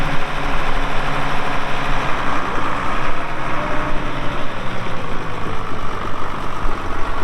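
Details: 1979 International 986 2WD cab tractor diesel, about 3,200 estimated hours (meter reads 2,321, not working), light use on ~50 acres: heavy steady clatter with firm even low rumble, nothing irregular; runs great, normal diesel running.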